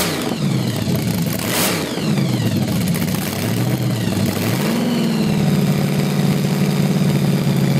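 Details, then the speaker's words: 383 stroker small-block Chevy, 6-71 blower at 8% underdrive, 9 psi boost, twin Carter AFB carbs, 93 octane, on test stand: revs sag and surge unevenly; owner suspects lean, timing correct, new jets, rods and springs coming. "what is it starving is that why that's doing that I think it's lean it's like it's really thirsty when he catches it and timing's right on"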